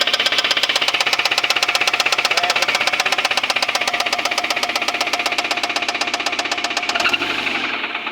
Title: Suzuki grand vitara. жосткий стук мотора